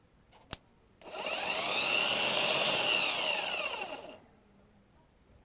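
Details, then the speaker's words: Volkswagen starter tested directly, bypassing the solenoid, after a new starter only clicked: spins up to a smooth high whine, holds about three seconds, winds down cleanly; motor fine, fault traced to dirty terminals, cleaning fixed the no-start. "Мотор працює вроде нормально без [оплески] тягующого"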